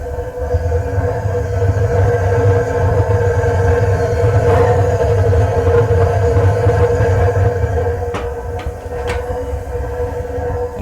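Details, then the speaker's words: DIY home-garage waste oil furnace fed by a tiny pencil drip of oil with compressed air assist, heated up and running; deep, steady low roar with no sputtering or surging, burner firing evenly and normally. "just that little drip right there is feeding that fire now we're talking"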